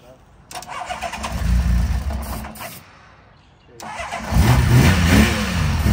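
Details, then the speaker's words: Honda CBX, carbs cleaned and battery charged, cranks on starter fluid, catches with a rough low rumble, dies, then refires and runs unevenly: first start in at least 5 years. "now that felt awesome to hear this bike run for the very very first time"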